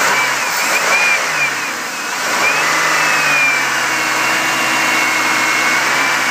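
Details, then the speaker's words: 2000 Chevy Impala LS at about 101,000 miles, heard under the hood: engine revs up and holds smoothly with a steady belt whir, no knocks or ticks; runs well with no abnormal noises. "here you can see the engine is it's quiet no abnormal noises really at this"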